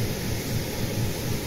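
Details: Roca Victoria natural-gas boiler after replacing a faulty, wet temperature sensor that falsely read 90°C, with hot water opened: steady low roar with no clicks, knocks or rattles, burner firing normally.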